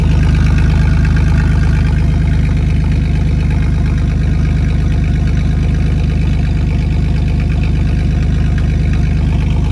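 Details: 1999 Chevy S10, 4.3L V6 automatic, idling after the rear catalytic converter (of two) was sawed off by thieves: loud, deep, raspy drone with fast even pulse, like an open pipe.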